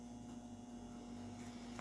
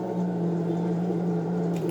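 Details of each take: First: Consul CWC12A washing machine after replacing the drain pump: steady low motor hum at high spin speed with no knocking, rattling or grinding; mechanics are fine and the spin is normal. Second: Consul CWC12A washing machine set to spin: constant low hum with a thin buzzing tone coming and going, starting even before the drum spins; pointing to a failing drain pump.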